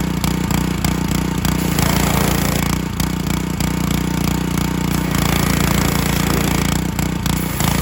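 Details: John Deere HR-2700GH pressure washer, Honda GC190 engine, 2700 PSI pump, revived after a bad spark plug and contaminated oil: steady running with a few brief dips as air in the line makes it surge, otherwise even; normal running.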